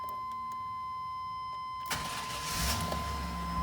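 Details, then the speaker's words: Chevy with crank-no-start, after fuel pump, filter, relay, cap, rotor, crank and cam sensors and battery were replaced: with the faulty security box swapped, a chime sounds, then the engine catches quickly and settles into an even low idle; clean start. "and she runs so we're back in business"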